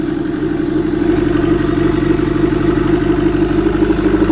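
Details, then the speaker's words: SR20DET-swapped Nissan S13 coupe idling with no downpipe fitted: loud, raw bark with a rough, uneven pulse around four per second. The turbo engine is running with an open exhaust after its first start. "No downpipe! Dude, she fucking meant bad. Why is that sick, man?"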